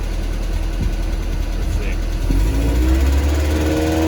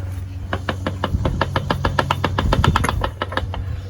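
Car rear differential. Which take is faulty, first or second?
second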